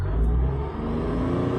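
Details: 2019 Tata Tiago XZ+ three-cylinder at about 3000 km, parked and revved in neutral, slight gear-knob vibration when stationary; smooth low drone rising and settling without knocks or rattles; normal rev.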